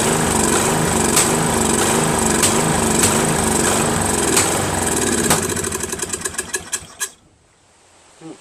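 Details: First run of a Craftsman 13.5HP mid-engine riding mower's replacement single-cylinder engine. It runs unevenly with backfire pops about once a second, then a rapid string of bangs as it dies. Owner suspects a slightly sheared flywheel key throwing the timing off.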